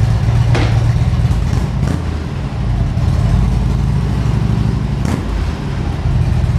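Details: 2013 Harley-Davidson Ultra Classic FLHTCU, a salvage-auction bike being rebuilt: a deep, even V-twin rumble with strong, steady firing and clean revs, no knocks or misses, running healthy.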